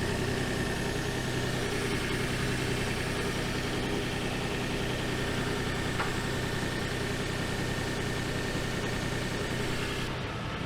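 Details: 2007 Nissan Xterra V6, 6-speed manual, idling after new spark plugs cleared P0300 misfire codes, now showing P2A00: light, uneven ticking and faint rattle about three per second; owner suspects a leak, injector, O2 sensor or passenger-side cat.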